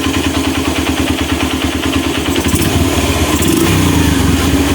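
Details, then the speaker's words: Honda Mega Pro Mono motorcycle, after the intake manifold air leak was sealed with glue: the single idles evenly, picks up sharply on the throttle and now drops back quickly instead of hanging slowly. Rev return is normal, confirming the air leak was the cause. "kan turunnya enak ya tadi itu gasnya enggak mau turun mas bro ya Jadi turunnya itu lama sekali oke sekarang turunnya sudah enak ya Mas Bro ya jadi memang benar ada kebocoran angin"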